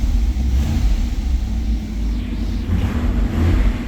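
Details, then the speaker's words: 1991 GM (Pontiac Firebird) with 60,000 original miles and a 100% stock, quiet exhaust, cold start: a light throttle tap makes a deep, smooth low rumble swell evenly and settle back; responsive, healthy stock-sounding engine. "Give her a little tap. 100% stock car, the way GM intended it to be, so nothing crazy, no loud exhaust."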